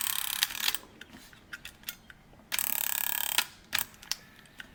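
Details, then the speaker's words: Sony WM-F77 cassette Walkman (circa 1986) after cleaning gunk from gear grooves and motor, on batteries, play pressed without tape: short bursts of fast, fine gear whirring with quiet gaps; motor and gear train turning again. "Oh, there we go. I think it might be working."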